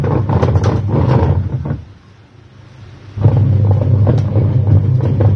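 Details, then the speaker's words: Automatic washing machine with clothes loaded, drum running; noise low when empty, rising when loaded; deep uneven droning rumble, heavier under load, gearbox to be repaired: worn gearbox rumble under load. "देखा था जैसे machine खाली चल रही थी तो आवाज कम थी और जैसे मैंने इसमें कपड़े डेल और इसकी आवाज बाढ़ गई तो इसी को ही रिपेयर करना है"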